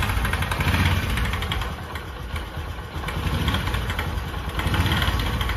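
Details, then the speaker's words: Bajaj Discover 125 cc kick-started at idle: loose, fast ticking rattle over an uneven idle, mistaken for timing chain or main bearing and unchanged by chain and cam/rocker replacement; comes from the magneto-side starter clutch gear. "ये जो आवाज़ होती है दोस्तों वो होती है magnet की।"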